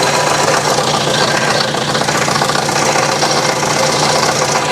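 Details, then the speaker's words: 1966 Datsun 520 truck abandoned 40 years, first start in cold weather: rough rapid clatter about four knocks a second over shaky idle; owner suspects clutch and flywheel settling rather than a rod, unconfirmed. "I think that's the clutch and flywheel just self-leveling there. And not a main rod."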